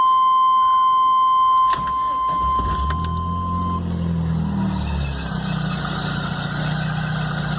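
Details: Chevrolet Blazer cold start the morning after a mechanic replaced the timing belt, upper accessory belt and alternator belt: a chime, then it cranks and catches into a loud droning hum at cold idle. It was normal at the shop; the source is unknown.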